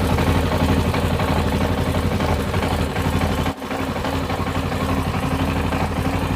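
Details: Yamaha Tenere XT660Z single-cylinder at idle: loud idle with a rough clattering beat about four times a second over the exhaust thump, engine knock, cause unknown.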